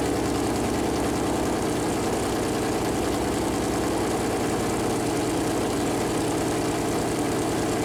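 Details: Freshly built Chevy Performance 454 big-block V8 on a run-in stand at first fire-up: deep, even burble holding a steady idle with no knocks, misses or ticking. Normal idle; afterward the plastic oil-gauge line hit the headers and leaked oil.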